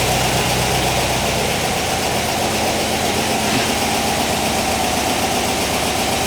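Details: 1959 VW single cab pickup, replacement air-cooled engine at warm idle, generator-mounted fan blowing air across the motor: steady, even putter with constant fan whoosh, no misses or knocks; normal idle.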